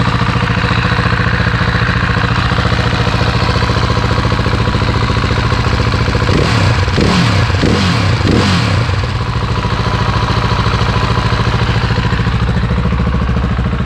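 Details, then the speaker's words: Husqvarna 701 Enduro Euro5 single, engine rebuilt after failure with new cam chain tensioner, cold start: even thump about 214 beats a minute with short blips, no chain rattle even off throttle; brief noise then quiet, normal cold idle. "kurz an und sofort ist still so soll es sein"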